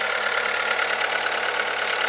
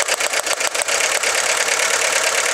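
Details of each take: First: VW Lupo 1.4 16-valve petrol idling steadily and evenly, running sweet again after a failed pencil coil pack was replaced. It had been spluttering, rocking and misfiring with a flashing check engine light. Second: VW Lupo 1.4 16V running badly with the engine rocking and the check engine light flashing; uneven stumbling run with irregular pops. One cylinder is misfiring with no spark on that lead, so the coil pack or its wiring is suspected.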